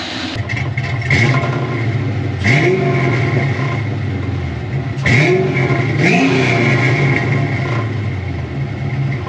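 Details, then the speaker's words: 1988 Ford Mustang LX 306 stroker, after a new coolant temp sensor, running while the timing is set: the V8 blips with a thin high whistle rising with revs. The owner suspects a vacuum leak, though the hoses were checked. "still got a whistle up here I know y'all can hear that uh I don't know if that's I mean I'm thinking that's a vacuum leak obviously"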